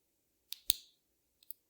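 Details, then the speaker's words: Watch bracelet clasp with Explorer-style case, already tightened so it no longer pops open: closing gives two quick light clicks instead of one firm snap, seeming to mash in rather than latch cleanly. "kind of hear that almost a double click there not one really solid just click it almost seems to just kind of mash into there"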